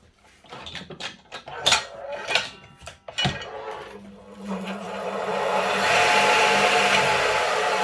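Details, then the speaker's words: Old Dewalt flip-over saw that hummed but would not run; the customer had already changed the capacitor, and it was rewired correctly; the motor now starts on both switches and winds up quickly to a steady, even hum and whir. "She starts on the meter switch and the table saw switch. That's her. Up and running again, like she should, start no problem."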